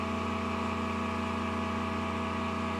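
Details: IGBT inverter welding machine after repair of a blinking power LED fault: a steady, unchanging low hum with an even fan rush and no knocks or crackle; it runs normally, outputting 64 A DC.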